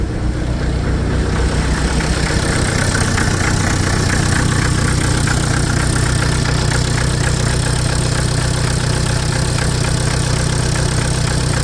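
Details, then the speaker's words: Hyster R80 forklift diesel, first startup after remanufactured injection pump and rebuilt injectors installed: fuel pump heard, catches within a second into smooth even clatter, no stumbling, no smoke; new injectors working well. "No smoke. New injectors that work good."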